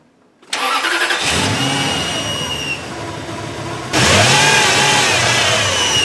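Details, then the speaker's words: Toyota Tundra after repairs, with a MAF, throttle body and intake clean still pending; the engine cranks and catches, with a thin high-pitched squeal from the power steering pump over a slightly rough idle. "a little bit of a squeal from the power steering pump, but that should be taken care of soon enough."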